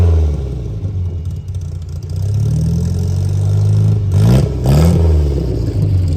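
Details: 1959 MGA 1600 Roadster, 1600cc inline four, body-off restored 2010: smooth low rumble at idle with brief rev blip settling cleanly, no clatter or misfire; healthy.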